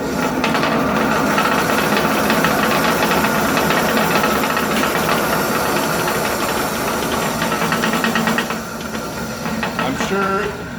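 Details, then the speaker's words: 1970s Sprunger 14-inch bandsaw running unloaded with a loud clattering rattle and a rough pulse about three times a second, caused by a drive belt deformed oval after sitting about 20 years; replaced with link belt. "you guys can not only see but also hear how bad this bandsaw is rattling I'm this belt here has probably been sitting for 20 years and it's got a big wide side on this big pulley on the side and the skinny side so let's look at oval and it makes that vibrate like crazy"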